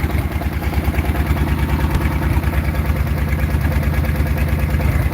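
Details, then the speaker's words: Farmall H with a rebuilt engine and new distributor and rotor: a low, lumpy idle with uneven beats around three a second and some weak pulses, clearly missing. The owner blames the timing and the plug wires. "yeah it's definitely missing timing new wires these are new but like i said i'm gonna put newer ones on there"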